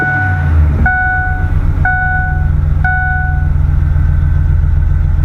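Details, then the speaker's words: 2005 Ford F-150 V8 idling after two ignition coils were replaced to cure a misfire. Deep, even rumble with no stumbles and a chime beeping about once a second; it runs smoother. Normal idle. "does feel a lot smoother all I did was replace two of them"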